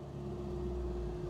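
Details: Restored 1969 Alfa Romeo GTV 1750 (1779cc) on a cold day, heater on, oil pressure 55 lbs: smooth steady idle with an even low drone. No grinding or chirp from the clutch; the release bearing sounds quiet and healthy.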